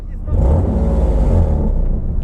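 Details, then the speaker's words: Nissan 370Z drift car with decat pipe, driving in rain: loud wet, flappy rasp swelling with revs; the bung plugging an unused O2 sensor port in the decat fell out, leaking exhaust. "ah it sounds like a wet fart i think it's leaking it sounds horrible doesn't it"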